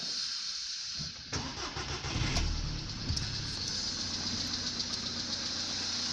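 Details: VW Polo Sedan built March 2014, 67,000 km, Liqui Moly oil; cold-start knock that began around 65,000 km. Engine catches after a second, then sharp ticking knocks ride over the fast cold idle before settling; cause unclear.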